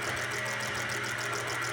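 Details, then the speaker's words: Ford Fiesta Supercharger engine with suspected head gasket problem and slack timing chain guide: lumpy, uneven idle with busy ticking on top; misfire because fuel injectors all drip, cleaning failed to save them. "gotejando gotejando tudo ruim os bico então o carro não funciona direito mesmo"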